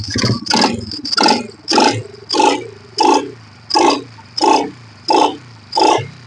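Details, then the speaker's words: Honda Supra Fit New motorcycle on throttle blips: repeated sharp popping and knocking bursts at the exhaust, like a leaking exhaust gasket. "Nah itu waktu Dias ngejut kedengaran ngelotok ngok krokrok seperti perpang bocor"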